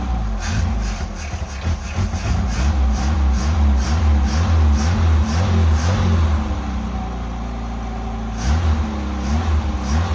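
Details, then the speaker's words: Pontiac Fiero project car, freshly finished, motor treatment just added, before first drive: low uneven idle pulsing about twice a second with occasional stumbles; still idling rough. "It does not want to idle quite right still."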